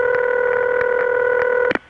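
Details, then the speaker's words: Early-1980s Bell System call: a steady, slightly gurgling mid-pitched ring holds evenly, then cuts off sharply. Gurgle comes from line equipment; genuine, normal ringback tone. "It's gurgly because of the equipment on the line, but it's the real item."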